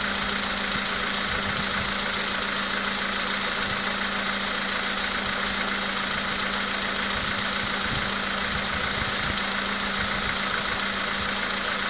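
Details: VW Polo Sedan with CFNA engine at idle: regular tapping about four times a second over a steady idle; an engine knock whose source is unclear.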